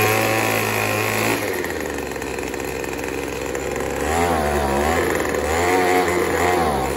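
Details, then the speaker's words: Craftsman 25cc two-stroke leaf blower running 40:1 mix. It starts fine, but squeezing the trigger makes the buzzy note drop sharply, waver and labour unevenly, then die. The bog down points to a lean mixture, and turning the carburetor screw counterclockwise is being tried. "And she said what it's doing, it'll start just fine and then squeeze the trigger and it will bog down and die."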